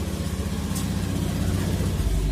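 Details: Honda Vario 110 LED CBS ISS scooter with its battery at 12.8 V, after a no-start with starter clicking caused by a weak battery: it starts instantly and settles into a steady, smooth, even idle with no misses or knocks.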